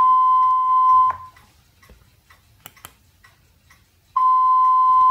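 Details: FenSens wireless Bluetooth parking sensor with its smartphone app, detecting obstacles up to 3 m, during a bench test: two long, steady, high-pitched beeps about three seconds apart; the warning tone works properly.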